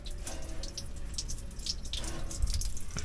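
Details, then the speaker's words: Generator cooling system under pressure test (cap rated 20 psi): steady splashing and fast dripping of liquid; massive coolant leak from the upper radiator hose, which needs replacing. "we know we got a massive coolant leak. Let's do that. Okay, so that's very unfortunate, but we found it. So we need an upper hose for that cooling."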